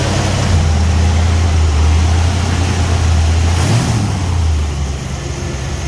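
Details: Hard start, then a low idle rumble that swells and sags unevenly; the engine is hunting, a surging idle.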